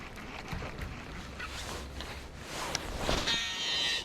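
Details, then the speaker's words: Ozark Trail baitcaster reel (6.3:1 gear ratio) on a hard cast: a thin high-pitched squeal under a second as line pays out, outdoors; the angler says it doesn't sound good, though the retrieve is smooth; cause unknown. "I cannot hook that with the right-handed reel I just can't I don't know why but it it that does not sound good"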